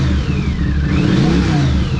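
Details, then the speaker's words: 1982 Honda CX500 Turbo twin revived after 25 years, new fuel pump, injectors cleaned; steady note swelling with throttle blips, faint rising turbo whir, no knocks or misses; normal idle and revving. "Oh, it's awesome. It's idling. All I did was clean the injectors."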